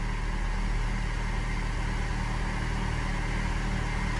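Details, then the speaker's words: Chevrolet Celta with 157,000 km idling with a steady low growl, a rough rolling rumble like a failed bearing, heard at the front of the engine; A/C compressor bearing; noise increases as the engine warms. "e a gente já dá para perceber aí ó se vocês estão vendo aí eu uso cada um ruído igual rolamento estragado"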